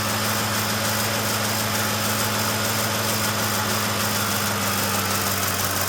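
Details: Ford F150 5.4L 3V Triton V8 at idle: steady hum with fast light ticking over it from misfire; fixed by mechanic replacing two or three coil packs and a couple spark plugs, ticking gone, power regained.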